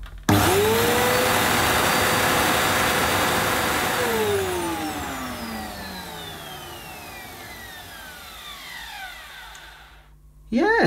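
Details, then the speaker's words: Electrolux Cyclonic Lite bagless upright, circa-2005 model new in the box, checked after a weak agitator sound and burning smell: the motor whines up, winds down and restarts; the brushroll rotates strongly, nothing wrong with it. "rotating and it's I think when I put my hand on it too much because it was pretty yeah I couldn't I wouldn't have been out to stop that without hurting myself so there's nothing wrong with that"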